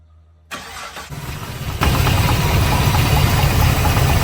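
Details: 1972 Impala with LS3 swap and automatic transmission cranks and catches, rough idle with faint quick knock/rattle from underneath; loose torque converter bolts, cracked flexplate also considered.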